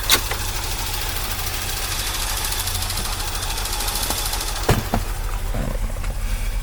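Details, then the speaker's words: 1982 Corvette after a decade outdoors and a fuel system overhaul, warming up, possibly still on old gas: uneven lumpy idle with occasional pops and stumbles over a steady drone; rough idle. "It sure doesn't run too well, but what can be expected? I don't know if it's still running on that old gas or the new gas."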